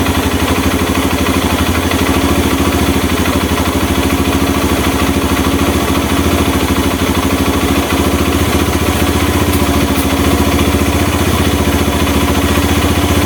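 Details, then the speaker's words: Honda Mega Pro mono single-cylinder, after an air leak was found and the carburetor air screw set to cure hard starting and stalling at idle: steady, even idle thump with no hunting, misses or surging. "oke mas bro ini sudah ketemu ya setelannya ya memang tadi memang ada kebocoran anginnya"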